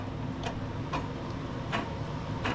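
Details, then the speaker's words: Jonsered/Husqvarna L4721 21-inch AWD mower with burnt drive belt: uneven clicks about one every half second to second as a pulley is turned slowly by hand; worn pulley bearing, three pulleys to be replaced. "You can hear the bearings in there."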